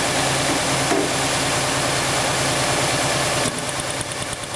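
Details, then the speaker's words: 1999 Honda Accord 2.3 L, auction car with a bad misfire: idle has an uneven, lumpy beat with a regular stumble about three times a second; still a dead cylinder at idle, later traced back to a fuel problem. "Nah, it's still missing out. No question about it."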